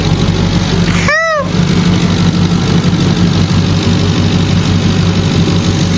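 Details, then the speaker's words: Mercury Grand Marquis 4.6L V8 after intake manifold replacement, warming to operating temperature: deep even rumble, no misses or knocks, one brief chirp; separate noise from bad blend door actuator; normal idle. "Let it run, get up to operating temperature. Uh check for any leaks. And we'll see what we got. Man, that thing purring LIKE A KITTEN."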